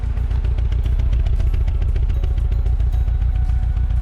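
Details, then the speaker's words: 2009 Mini Cooper Clubman S at idle, heard at the exhaust: a lumpy beat with a missing pulse, shaking as if running on three cylinders, with a cylinder misfire code. Coils are possible, but an internal fault is suspected. "you guys see us shaking a little bit and it looks like it's running on three cylinders so maybe it's it could be the coils but we're thinking it's more internal"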